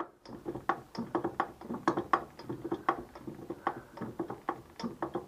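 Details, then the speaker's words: Citroën 2CV AZLP6, right rear wheel raised and turned by hand: irregular clacks two to three a second matching the noise heard while driving; wheel has play, owner suspects a wheel bearing. "ce que j'entends à peu près quand je roule alors déjà fait ce qui est du jeu ah oui il ya du jeu en plus"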